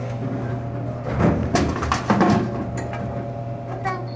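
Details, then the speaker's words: Royal GIII soda machine, final Cherry Coke column vend after replacing the pivot lever spring that caused the jam: steady hum, then a short burst of clunks as a can drops and lands; clean normal vend, fixed. "Looks like it's fixed. And it's amazing what one little spring can do and the problems it can cause, but we figured it out and we got it fixed."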